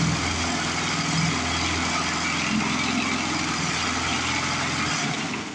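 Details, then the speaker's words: Older 22-inch Murray push mower, 3.5 hp Briggs, with a new blade someone fitted. Loud, ragged engine with an uneven, shaking beat and lots of clatter; it runs rough from a bent crankshaft, confirmed bent. "Because $5 Murray is parts Murray because she's got a heck of a bent crankshaft on her. You can tell that just by the way she's vibrating and making all kinds of racket."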